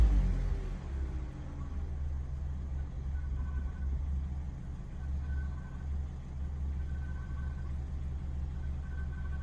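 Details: 2007 Vauxhall Corsa D 1.2 petrol at idle: a thin high squeal chirps on and off from near the belt over a steady low engine note; cause unknown.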